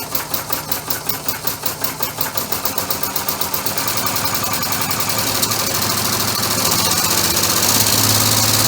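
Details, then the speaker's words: Homemade 3-cylinder orbital compressed-air engine with a single-shaft push-pull valve, test run: sharp rapid puffs rising from about 2.5 per second with a slightly uneven beat. One valve is suspected of causing a miss and needing adjustment. Cylinder misfire. "got a little miss and it sounds like it's this one here it is causing it so I have to maybe adjust that and try it again"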